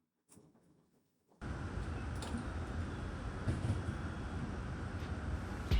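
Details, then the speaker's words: K24-swapped 1990 Honda CR-X, two weeks after re-uploading the calibration to cure a random idle misfire with no codes: quick catch into a steady, even idle with no stumbles or skipped beats; starts and runs cleanly. "And now the vehicle starts up fine. No misfires at all."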